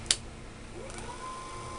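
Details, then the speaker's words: El Turbo OD/OV testing switch #3 with a solenoid rigged in place of the bed solenoid (24/36 V system): sharp click as the switch engages, then a whine climbing to a steady high pitch; motor spins up normally. "yes and it's working all right kick in overdrive"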